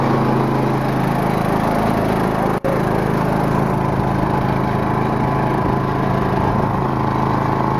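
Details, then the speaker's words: 22 hp Briggs & Stratton V-twin riding lawnmower, mowing grass: loud steady drone with engine holding speed and blades whirring, much louder with blades engaged; normal blade noise under load. "that is so loud it's way more loud when the blade goes on"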